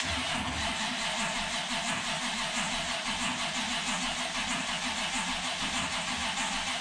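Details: Ultima GTR V8 sitting unused 7 years in a warehouse, first start attempt with battery connected and no oil leaks seen: long steady cranking before it finally fires, then oil pressure present and poor revving because super cold; extended cranking before starting.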